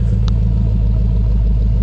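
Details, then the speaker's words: 1975 GMC Gentleman Jim C10 sat 18 years, warm idle after running 10 to 15 minutes: even steady low V8 rumble, no skips or stumbles, no tailpipe smoke; engine firing cleanly on all cylinders. "like I said been running 10 to 15 minutes I don't see any smoke coming out tail pipes and it doesn't seem to have any misses or anything it sounds pretty"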